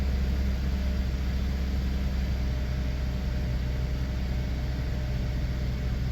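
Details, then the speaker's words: 2013 Cadillac SRX 3.6L V6 just started after new spark plugs, coils and intake plenum gasket: low steady idle with an even beat, no misses, ticking or wavering, running smoothly after repair. "all right so uh everything looks good all right um so uh everything looks to be working fine"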